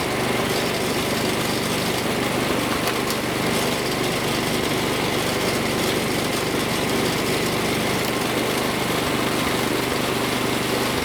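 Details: Snowblower after hex shaft and drive part repair so wheels turn: small engine holds steady, even buzz with no misses, knocks or grinding; running normally.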